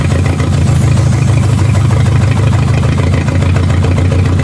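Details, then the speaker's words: Three-cylinder VW Golf, jump-started with booster cables and ether: uneven, lumpy idle with a stumbling beat that never settles, shaking eases slightly after a throttle blip; misfire, dead cylinder. "yeah you just punch it I actually got better there it's not shaking as bad"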